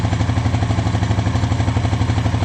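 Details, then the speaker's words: 2013 Honda Rancher 420 ATV, 19,000 miles, 1,900 hours, after stator replacement; steady, even single-cylinder putter at idle, no knocks, ticks or misses; charging 14-plus volts, stator working; normal idle. "Okay, and the stator's working. We're getting 14 some volts, so we're good to go."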